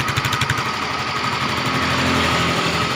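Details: Yamaha Mio M3 / Fino 125 scooter after fitting a Honda Vario 125 piston (KWN), slightly higher compression: even idle, steady putter about four beats a second, some exhaust rasp, engine now quiet with no knock or rattle.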